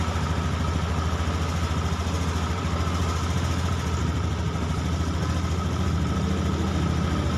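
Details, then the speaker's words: Honda Beat ESP fuel-injected scooter idling fairly steady with slight unevenness left, after a substitute ECU was fitted; judged near 90% normal versus 75% before, pointing to the original ECU as the hesitation ("brebet") cause. "dan ini saya katakan sekarang sudah mendekati 90% normal motornya"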